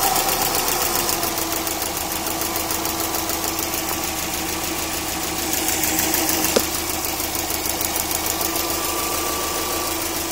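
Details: Subaru EJ20K petrol engine at idle: quick, light ticking, roughly three per second, over steady hum; owner suspects piston slap, timing belt tensioner, AC or lifters, unconfirmed.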